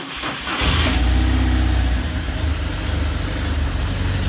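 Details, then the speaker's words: 2009 BMW R1200GS, 40,248 miles, front forks torn off in a low-speed collision, minor oil leak when warm: it catches instantly and settles into a steady even idle with no smoke. Normal start and idle. "no issues no smoke out of the pipes give her a nice little wrap runs well"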